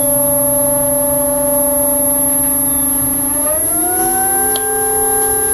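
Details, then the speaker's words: Newport NK180 kayak trolling motor in water: loud steady siren-like whine rising in pitch with speed, resonance mainly before higher speed that can be passed by speeding up; maker found no motor fault, suggests shallow depth causing cavitation adds noise. "There is resonance that can be heard in the videos, particularly prior to reaching a higher speed. And often you can speed up past the noise and then slow down to your desired speed"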